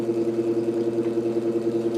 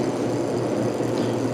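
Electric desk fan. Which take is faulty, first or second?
first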